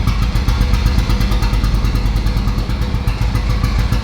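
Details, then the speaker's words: Boosted Honda K20 swap after setting the TPS: deep, loud idle with uneven, stumbling pulses and a ragged, hunting beat; air-fuel reading far too lean. "now air fuel is way too lean"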